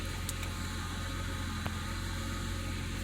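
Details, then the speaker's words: 2006 BMW 325i after replacing the fuel pressure regulator: a quiet, even engine hum with a soft steady pulse and nothing irregular. It runs smoothly and the new regulator works. "and there we have it a few pressure regulators in working fine"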